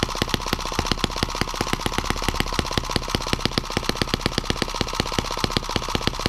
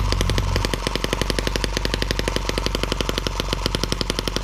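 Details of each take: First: New M17B small engine on first bench run on 94-octane ethanol-free 40:1 fuel: rapid popping exhaust, two to three beats a second, slightly irregular and hunting, jumping around at higher rpm and reluctant to idle down; the rocker arms still have play, cause not stated. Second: M17B small engine on the bench, first start after unboxing, before adding cooling water: rapid even crackling beat, roughly a dozen pops a second, holding steady at higher rpm; noisy, not perfectly even, but running healthy.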